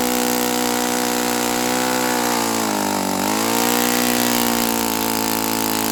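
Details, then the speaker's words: Saito FA-82a four-stroke glow engine after spring replacement, timing, valve lash and springs confirmed good, plug swapped to O.S. F: loud high full-throttle buzz sags briefly and recovers, no crisp top end, below ~9,000 RPM expected on 14x6 prop; cause unknown. "I'm pretty sure this is a 146 prop, which means it should be turning around 9,000 something RPM. And it doesn't even sound right at top at full at full throttle."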